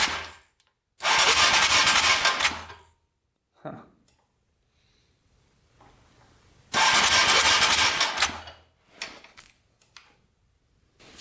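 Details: Yamaha Raptor 700 cranking after trying an engine ground to the frame, fuel tank plug not yet connected; two two-second bursts of fast starter whirring with no firing: cranks but no spark.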